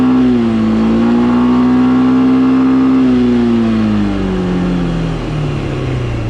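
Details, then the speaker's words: Suzuki Skywave 400 scooter after its worn variator was machined and reassembled: with the clutch healthy, engine drone holds high and steady at about 4,000–4,500 rpm while pulling away, then eases as speed builds. Owner suspects light variator rollers; speed-to-rpm ratio otherwise good. "что мне не очень понравилось что он трогается 4-4 с половиной тысяч при живом сцеплении Но это просто легкие грузики я так думаю"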